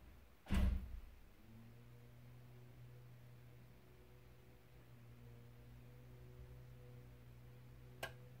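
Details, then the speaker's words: A+R boiler with F75 fault, demand switched on: sharp click meant to start the pump, then low steady hum with no pump surge; circulation pump not turning, pump diagnosed as failed, F75 fault follows. "was up click this represents the pump ship supposed to be turning"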